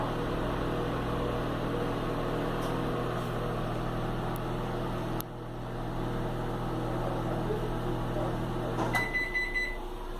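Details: Philco microwave, model PME31, after the magnetron connector fault (strange noise, no heating) was fixed: a steady, even low hum while heating, ending with the door click and beep. It runs normally and heats water well.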